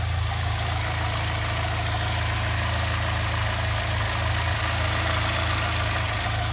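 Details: 2006 Saab 9-3 2.0T petrol, warm after running several minutes following valve cover gasket replacement, before oil change; smooth even idle, steady low hum, no ticks or knocks; normal idle.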